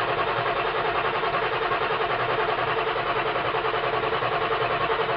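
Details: 1995 Ford F-250 Powerstroke diesel, 5-speed manual, 225,000 miles, cold start at about 32°F with no block heater and new batteries: steady churning crank without catching, long cranking; owner suspects a bad glow plug relay or connection.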